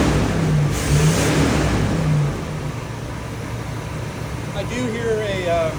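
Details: 1978 Chevrolet Corvette V8, last on the road in 2012, test start on a new battery with carburetor cleaner in the carb, oil pressure 50 psi: uneven, lumpy beat of about two pulses a second; misfire suspected from one or more plugs or a plug wire, no internal tapping heard.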